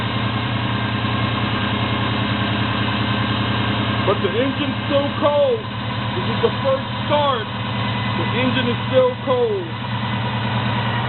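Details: 1972 Chevy Monte Carlo SBC 350 on first start after FiTech Go EFI and fuel command center install, loud old starter: cold V8 idles steady and slightly fast, no misses or knocks, self-learning EFI bringing rpm down.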